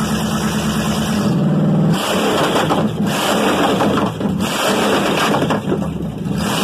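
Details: Chevy 305 V8, first start in years after prep; pulls smoothly through a couple of throttle blips and settles to a steady even rumble, no knocks or misses, runs smooth; normal running.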